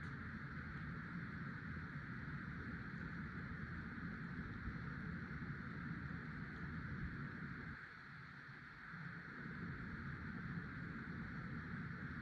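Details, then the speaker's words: 50" Casablanca Delta II ceiling fan, 1996, Emerson K55 motor, after bearing replacement, running with four blades; soft steady whoosh and gentle swish, no wobble, silent, healthy bearings. "This time it doesn't seem to wobble with four blades. It blows more air than it did with five blades, and is silent."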